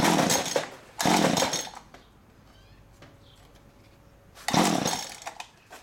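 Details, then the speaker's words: STIHL string trimmer with good compression but stale fuel, full choke, ignition on: two quick rough pulls, pause, another pull, never catches; fuel not being pumped, so gas poured down spark plug hole next. "Still doesn't seem to want to go. Let's take and dump some gas down that spark plug hole."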